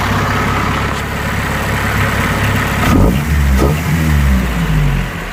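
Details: Honda CRX Si, old muffler with hole, resealed and reassembled, disconnected at hole area; loud raspy exhaust swelling on revs and settling back; exhaust leak from holed muffler.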